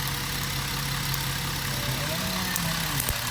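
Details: 2011 Jeep Wrangler 3.8 L with codes P0300/P0305: uneven idle with sharp snapping cracks and 5–6 misfires per minute, unchanged with RPM or gear. Plug wire 5 is arcing, and wire 6 is arcing less. Fixed by replacing the spark plug wires.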